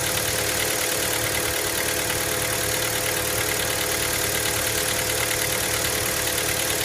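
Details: Cold-start idle of a Hyundai Elantra MD 1.6: fast, fairly regular light knocking tick through the running noise, roughly three per second; source not pinned down.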